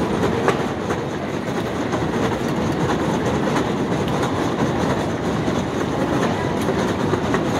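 Steady mechanical din with a fast, even clacking running right through, no change in pace; a noisy escalator, cause not clear.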